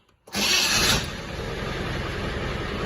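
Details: 1990 Range Rover Classic 300tdi diesel started in warm weather without needing glow plugs, after the pump finished: short crank, catches in under a second, settles into a steady diesel clatter at idle. Normal start.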